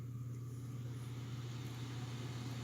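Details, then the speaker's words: Stock Corsair H60 (2018) radiator fan, rear of a push-pull setup with SP120 at front, raised from very low to full speed, in a Silverstone Sugo SG13 case with the camera about 1.5 feet away. Steady low hum and even airy rush, no rattle: normal. "So I'm gonna go ahead and I'm gonna turn on the H60's fan at full speed so you could see, you could hear the difference."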